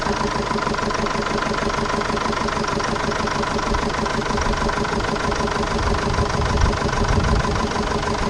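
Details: 2005 Jeep Liberty CRD common-rail diesel with overheating history and a previous-owner failure, apparently running on three cylinders: lumpy, uneven idle; rough idle misfire, cause not yet found.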